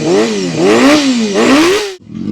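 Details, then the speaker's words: Honda CBR250RR MC22 restored with carbs reinstalled and aftermarket radiator, first run after restoration; crisp revs climb and fall cleanly on each blip and settle smoothly. Normal running, engine pulls freely and sounds healthy. "How good's this sound? So, Bob's all running again."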